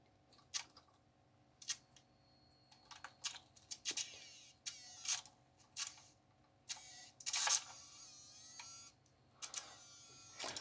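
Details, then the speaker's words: Revell Liebherr A900C Litronic RC excavator boom, one of three 1.7g micro servos: thin high-pitched motor whir bursts as it suddenly spins freely; owner suspects a small broken section of a gear letting the motor freewheel when gears align. "you can hear that it just gets to a point and all of a sudden the motor starts to spin so i suspect that there's just a little section broken out of one of the gears and when the gears align perfectly the motor can just spin freely without being connected anything"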